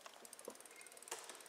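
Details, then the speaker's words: Shimano XT rear derailleur after adjustment, bike on stand without load, shifting into gear four: light quick ticks of chain settling on cog, one soft clack, then quiet freewheel clicking; clean smooth shift. "gear four smoo in the gear four you don't even hear it now on with the load it may be a little different"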